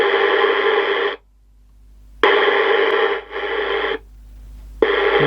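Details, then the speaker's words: CB radio with orange LED display, stiff channel selector not clicking properly: harsh static cutting in and out in rough, distorted, "farty" bursts as the squelch opens. "doesn't seem to be clicking like it should finally worked bit of a farty"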